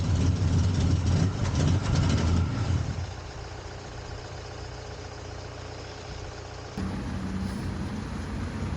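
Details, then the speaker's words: 1979 Ford Capri Mk3 Ghia 3.0 V6, first start after about 20 years standing, battery boosted from another car, heard from the back; catches with a loud rev burst then steady idle; crud blown from holed exhaust. "This is the same first start from the back. Can't believe the amount of crud that came out of the exhaust, and it's a little bit holy."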